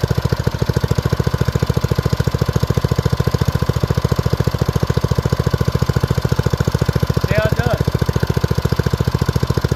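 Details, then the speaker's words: Old BRS F1 265E go-kart single-cylinder engine, run with no air filter after priming, fires right off: fast, even putter with steady beat, no misses, knocks or surging; normal running shortly before it later went "chunk" and shut down. "see a pretty low fires right off runs really good when you first started"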